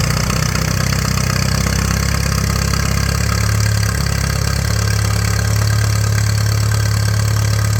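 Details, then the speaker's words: 1941 Case SC tractor, first run in years: heavy, slow, lumpy idle about three beats a second, barely holding on; carburetor only halfway adjusted, idle set too low, fuel tank shaking loose. "idles are down too far got to hold on to the fuel tank so it doesn't fall off"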